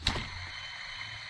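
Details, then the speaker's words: 1998 Lexus LS400 1UZ-FE, engine off, pulley spun by hand during power steering pump replacement: a click, then a thin high hiss-whine fading as it coasts down; the tensioner pulley bearing is drying out. "Yeah. That's kind of loud. That's kind of loud. So the bearing in there is drying out."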